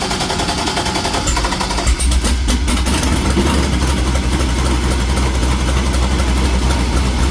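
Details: Datsun 521 with LS V8, first start after oil pan refit to fix low oil pressure: deep steady rumble settling into an even idle with no knocks or misses; runs healthy, partly masked by music.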